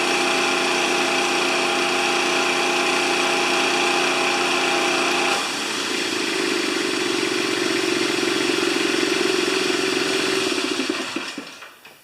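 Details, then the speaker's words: Honda GX160-powered wheelbarrow air compressor, serviced with fresh oil after the customer suspected a governor fault; runs steady under load, then the note drops as it unloads to a slower idle before shutting down. Normal load cycling. "After it starts up and pressurizes, it goes back to idle and it sits there and waits for you to use air and then kicks back on again and so forth."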